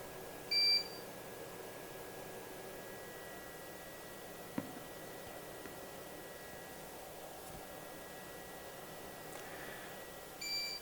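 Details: Eaton Ellipse Pro 1200 line-interactive UPS at 82% load, then 46% after unplugging an extension: short high-pitched beep about every ten seconds over near silence; no extra noise with higher load, normal periodic alert.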